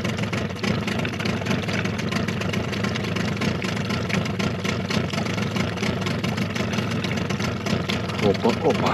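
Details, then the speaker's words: Suzuki DT 9.9 (15) outboard, new, first start after over a year unstarted since factory check, cold: low burbling idle hunting faster and slower between 650 and 850 rpm before five-minute warm-up; cause unclear. "So far, it is not clear what is happening with the turnover. Turnovers from 650 to 850."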